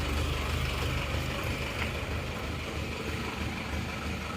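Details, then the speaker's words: Isuzu Panther automatic diesel after a badly worn cylinder liner was replaced with a used one; blow-by and exhaust smoke now fixed: low idle beating about three times a second with a lumpy pulse. Idle is rough and still needs adjusting; the injection pump and nozzles have not yet been checked or set. "langsamnya kurang Oke jadi masih perlu penyetelan"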